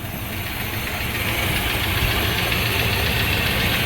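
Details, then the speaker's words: 1952 Eureka hearse straight engine on its first start, idling by itself: smooth idle with a light, fairly regular tick toward the rear. Owner suspects a lifter, since it sounds too deep for a valve. "sounds like the [Music] back maybe a lifter doesn't sound like a a valve it's too deep"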